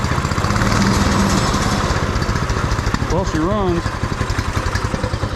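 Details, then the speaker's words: Beater go-kart's small single-cylinder engine on a swapped carburetor, first run with fuel tank not yet bolted in: ticks over slow and a little lumpy but steady; sounds all right, idle speed set a touch low. "Idle's a little low. Does it stop easy? Sounds all right."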